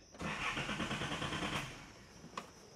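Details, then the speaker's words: Nissan 280ZX (S130), untested engine, clutch down, starting fluid sprayed: starter cranks, engine catches and revs roughly about a second then fades; oil unchecked, fuel source unknown. Engine fires briefly then dies on starting fluid. "I haven't checked the oil I haven't checked anything but it lights off it fires"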